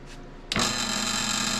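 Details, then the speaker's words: Late-1970s Canadian Rockwell/Beaver bandsaw motor, newly wired cord, switched on with a click and spinning up to a smooth steady hum, no rubbing or knocking, without tripping the breaker; healthy. "which actually sounds good coffee with that this has even got a circuit breaker on it so that's good"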